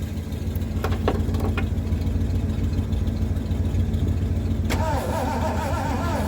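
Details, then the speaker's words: Abandoned Mercury, sat 13 years, cranking after starting fluid sprayed down the carb; steady starter beat of about three and a half turns a second, never catches; crank no start, coil replacement planned next. "Okay, there's one last thing I'm gonna try, and that is replacing the coil. If that does it, great. If it doesn't, I think I'm gonna give up."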